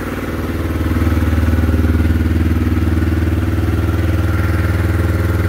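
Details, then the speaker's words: Yamaha Phazer snowmobile, cold engine with low battery, after priming fuel via diagnostic modes 36 and 37: fires right up into a steady, even idle with regular low putter and no misses; normal idle. "fires right up idles right away"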